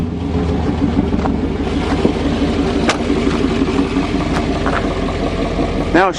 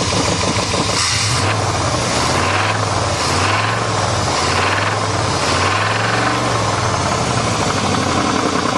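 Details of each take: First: 1988 Chevy truck V8 after fitting a makeshift exhaust to bypass a suspected plugged catalytic converter that made it boggy when warm: runs steadily and picks up freely without bogging or stumbling, a brief squeak near the end, healthy running. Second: 1988 Chevrolet truck V8 running on all eight cylinders, revved up and down: deep uneven knocking under the exhaust note as revs rise; owner says rod and crank knock, probably spun bearings.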